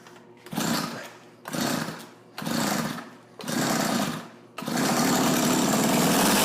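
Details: Tecumseh TC300 two-stroke ice auger after new rings, with the choke off: surges up and dies back about once a second for four cycles, then holds a steady high buzz; carb tuning issue suspected.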